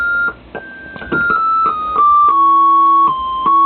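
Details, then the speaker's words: Vox Super Continental organ: held notes carry an extra minor-third pitch (one note an octave) bleeding in, which persisted after swapping a card. The cause was dirty ground buss connections. "yeah it's a right it's a minor third always not a major third it's all third up yeah pretty much except the F"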